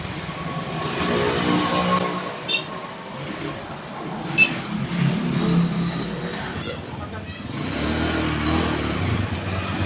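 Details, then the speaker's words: Honda Spacy carbureted scooter after repair for hard starting in the morning or after sitting an hour or two: revs up and settles cleanly with no stumbling or misfire over street noise; now runs well. "Alhamdulillah teman-teman, motornya udah bagus, nggak ada berebet-berebet ataupun nggak ada kendala."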